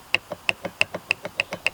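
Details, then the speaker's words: Alternator removed for replacement, its pulley spun by hand: dry, sharp clicks about six per second. The pulley bearing is worn, with excessive play, though the alternator still works. "et quand tu fais tourner tu entends le bruit donc il y a un truc qui s'est doc désolidariser là-dedans voilà donc l'alternateur évidemment il fait du bruit il fonctionne"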